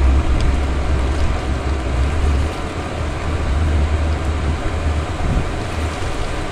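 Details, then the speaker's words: Chinese diesel heater running on Jack Daniels whiskey as fuel, fitted in a window frame: steady even low roar with no popping or surging as it comes up to temperature; burning nicely, normal combustion. "let's find out here we go I can hear it it's burning nicely"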